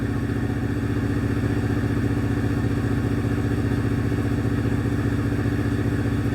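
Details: Car started during scan-tool live-data check of misfire data: steady, even idle with a smooth regular beat and no skipped pulses; not missing much, normal idle.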